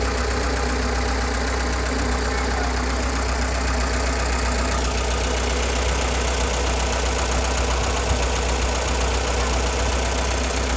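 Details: GAZ-69 with UMZ-421 engine after major overhaul (Kostroma piston group, contactless ignition, original carburetor, fuel pump and old intake manifold): low even idle with a soft steady beat, no misses or rising noise; normal.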